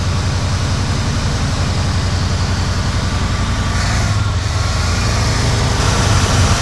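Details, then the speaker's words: 1976 Ford F-350 Ranger Camper Special V8 at first start, with a fuel leak present. Uneven, lumpy, loping idle of about three or four pulses a second; misfire traced to bad, fouled spark plugs. "I think we got some foul plugs. What? I think we got some way foul plugs."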